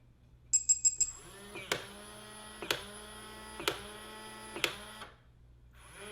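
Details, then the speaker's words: Lockly Flex Touch smart lock self-test after the last battery is fitted and the program button held: four quick high beeps, then the bolt motor whirs and clicks about once a second for four cycles; a normal self-test. "Last one, and press and hold the program button. You hear it beeping, and then release."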